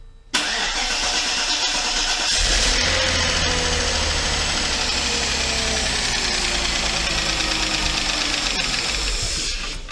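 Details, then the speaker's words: Mercedes 500E W124 engine first start, fuel system completely depressurized; long steady starter churn about nine seconds with no catch; extended cranking until fuel system primes. "have to wait for we have to wait for our fuel system to be completely primed"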